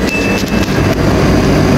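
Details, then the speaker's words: Samsung dryer reassembled and test-run after replacing the fan belt pulley bearing that caused an uneven thumping noise; steady, even rumble with no thumping, knocking or squeal, now quiet. "Ito mga kalikod. Wala na yung ingay mga kalikod. Tahimik na."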